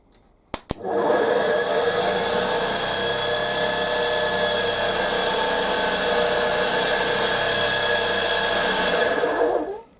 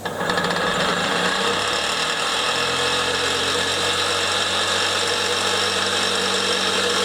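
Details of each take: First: Fire truck compressor pump converted from 240 V single-phase motor to a 12 V DC hydraulic pump motor on the pump shaft: even, steady whirring start to stop with no knocks or catches, good air output; normal running. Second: Fire-truck compressor pump converted from a 240 V motor to a 12 V hydraulic pump motor on the main shaft, running: harsh gritty whirr and rasp of rough bearings needing urgent replacement, plus a knock from the drive.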